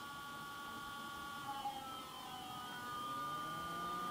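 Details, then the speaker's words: Cheap Foxconn brushless DC box fan driven by a 555-timer PWM speed controller at reduced speed: quiet airflow with thin, steady high-pitched whines, PWM-induced noise in the motor, absent at full speed. "as soon as i will lower the speed you see or you hear that you get some specific pwm induced noise"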